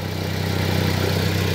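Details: Mitsubishi Xpander idling with oil filler cap off: even steady idle, smooth low pulse, no knocks or misses; oil spatters out, buyer's mechanic called it blowby, owner believes it is normal spray from the moving timing chain.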